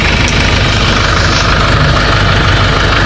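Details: Hyundai/Kia Bongo D4CB diesel after fixing a noisy alternator with a crushed pulley bearing: the engine idles steadily with an even low rumble and light clatter, running normally, charging about 14 V at the battery.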